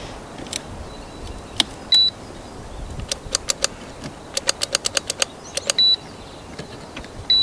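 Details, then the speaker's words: 1974 VW Thing, engine not run since 1989, on jump box: short high beeps every couple of seconds among scattered clicks, no engine turning over; jump starter warning, battery likely too dead, needs a real battery. "all right to take that off because that's annoying Let's uh go ahead and grab a real battery with some power to it so we don't have to rely on a jump box"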